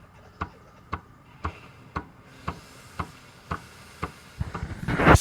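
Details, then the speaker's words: Breville 870XL espresso machine, steam wand test, microphone placed at the pump: weak, uneven pulsing about twice a second instead of a steady buzz, insufficient steam; weak vibratory pump likely needs replacing. "the way the pump works is not good not supposed to work that way so also the steam coming from here it's insufficient so it's definitely sounds like there's a problem with the pump"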